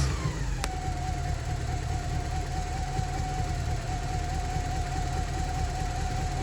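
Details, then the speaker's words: Porsche 944 engine after cambelt change, during ancillary refit with alternator off: steady run with faint high whistle and slight uneven beat; mild misfire clearing, revving hoped to clean injectors, smoother after 20 seconds. "Still not sounding perfect, but hopefully a little rev will help clean all those injectors."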